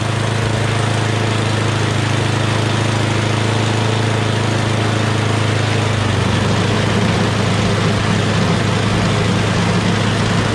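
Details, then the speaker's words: MTD Yardman 8.5 HP 26-inch two-stage snowblower after carburetor clean (pilot jet, bowl, emulsion tube): steady, even idle with no hunting or surging; no longer surges. "That's idle. That sounds really good. So obviously that's what it was."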